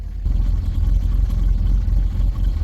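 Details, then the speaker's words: Buick Rendezvous, started completely cold after previously refusing to start, with no warning lights. Heard at the muffler, the idle is deep and uneven with stumbling, bucking pulses; revving is fine. Engine misfire, cause unknown. "si les digo no aprendía y ya aprendió la camioneta está prendida pero está fallando"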